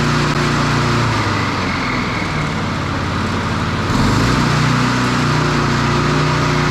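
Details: Standard push mower single-cylinder engine after a broken governor arm spring fix. Steady drone jumps to a higher, busier speed partway through. The spring was moved one notch, a couple of mm, and the engine overspeeds.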